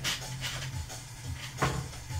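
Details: Technics SL-1210 MK2 turntable during refurbishment, anti-skate dial turned anti-clockwise: dry, rough, gritty scraping rasp on each turn, likely dirt or dried grease inside the mechanism; dust found inside afterwards.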